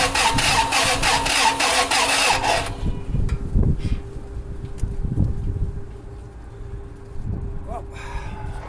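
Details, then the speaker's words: 2002 Toyota Sequoia crank-no-start, no codes, flat battery boosted: quick, erratic cranking with no steady compression rhythm, briefly catches then dies; fuel smell in oil suggests cylinder wash, engine damage unconfirmed. "It did crank and it started and then it died out and it sounds weird."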